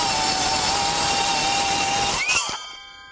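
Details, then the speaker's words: Metabo HPT MultiVolt C3607DWA 36V cordless 7-1/4" rear-handle circular saw cutting: steady high motor whine whose RPM dips slightly near the end of the cut, possibly as the battery drains, then spins down. Normal speed sag, no real bogging. "you can hear the saw bogging slightly and I wouldn't say bogging but you can hear the RPMs come down a little bit"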